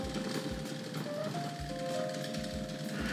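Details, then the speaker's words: Model locomotive crawling slowly backward off the turntable bridge, on a layout run by a Hornby R.950 Master Controller: rough, pulsing chatter about twice a second under a wavering hum; motor chatters at low speed. "again you can hear that chatter from the motor"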